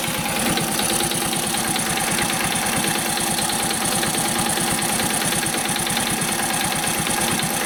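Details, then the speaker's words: Warm idle of a Honda Cub commuter bike: quiet right after starting, then quick, even light ticking in time with the engine once warm; fades when revs rise slightly. Tappet clearance suspected, valve adjustment planned. "エンジン始動してすぐは、まあ静かなんですが。少しして、エンジンが温まると、カチカチ、音がします。"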